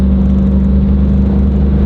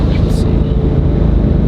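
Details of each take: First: Chevrolet SS sedan while driving with an aftermarket 1,500 horsepower drive shaft: steady deep drone and rumble, mirror and gauge needle shaking, no knocks; owner blames driveline vibration from the drive shaft. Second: Chevrolet SS sedan with a one-piece driveshaft on a test drive at about 100 mph: steady low road rumble with no thumping, shudder or rhythmic vibration; driveline smooth.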